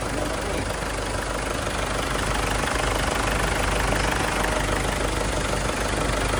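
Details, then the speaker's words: Ford Everest after fixing the loose washer on the hydraulic timing belt tensioner: steady, even idle with no metallic clinking or rattle over it; engine healthy, the noise was not fan belt or idler bearings as suggested. "Hindi na maingay. Ang masasabi mo, sir? Wala. Wala na yung kalansing. Wala na yung kalansing."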